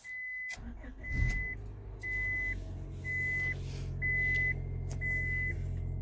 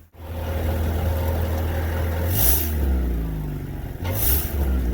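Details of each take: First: 2000 Honda Accord after a clogged catalytic converter was removed and the O2 sensor reinstalled: the engine catches and settles into a smooth, quiet idle with no exhaust leaks or ticking under a chime; normal idle. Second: 2000 Honda Accord with barely any power and a rattle, suspected exhaust leak underneath: revs rise and fall with a muffled, choked exhaust note that never opens up; restricted exhaust from a clogged catalytic converter.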